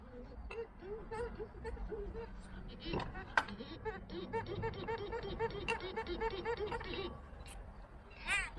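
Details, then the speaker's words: Removed old water pump from a Hyundai iLoad/H1 van with overheating, turned slowly by hand: short repeated high-pitched chirps each turn; owner suspects the internal rubber seal is not lubricated. "That actually sounds like uh the rubber seal inside is not lubricated."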